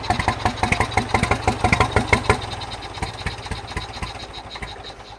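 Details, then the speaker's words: John Deere 1010 tractor after new carburetor, full rewire and new exhaust: uneven, galloping misfire at about three beats a second, then the engine fades. Fuel and spark are good; owner suspects a bad ignition coil or soot-fouled plugs from an over-rich mixture. "I'm getting good fuel, I'm getting spark, but it sounds like it's got a gallop in it, so I don't know if that's just because the spark plugs are coated with all the soot from me starting it and it being too rich of a mixture."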